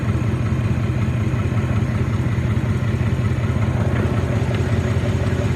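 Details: 1997 Ford 4.6 V8 idling: faint, fairly regular light ticking, about three per second, over the low rumble.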